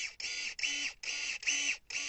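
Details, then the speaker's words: Electric pruning shears after quarterly maintenance and greasing, pivot bolt being adjusted: repeated quick bright whirring blade bursts, sound growing louder and changing as the pivot is tightened. "plus on serre, vous voyez, plus le bruit devient fort et différent. Donc il va falloir trouver voilà, le point parfait à peu près."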